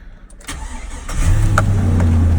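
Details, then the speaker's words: 2003 Chevrolet Silverado at Copart auction lot, likely sat a long time. Brief crank, catches at once and settles into smooth, even idle; fired right up, clean healthy start. No lights working. "Oh yeah, fired right up. Don't have any lights."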